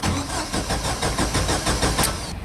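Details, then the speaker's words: Jeep Wrangler YJ that died while driving, full tank, fuel pressure checked: steady starter cranking a few beats a second with no catch or firing; no spark at the distributor wire, suspected failed ignition coil or crank sensor. "took the distributor wire off held it up to the ground with a screwdriver and there's no spark"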